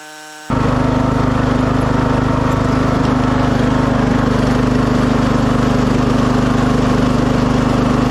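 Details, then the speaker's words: 2006 Craftsman LT3000 after new idler and charged battery; starts and settles into steady even drone under load, no rattle or vibration; initial noise attributed to cold hydro transmission needing to warm up. "that idler definitely solved a lot of wild vibrations at first it was noisy but I think it was just the cold Hydro transmission just needed a second to warm up"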